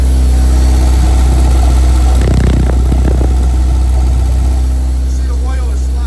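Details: Mitsubishi 4G63 (Evo 8) four-cylinder swapped into a 1980 Porsche 911, first start, idling through the exhaust. Low, even idle hum, no tapping or stumbling. Normal idle; oil gauge reads none but oil pressure is there, gauge likely not hooked up.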